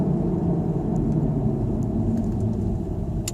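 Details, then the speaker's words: Volvo V50 test drive after rear hub bearing replacement: only steady low snow tire rumble, no whir or growl rising with speed, slight brake noise settling in; much quieter, bearing fixed. "Noise we hear now is pretty much just tire noise from the snow tires."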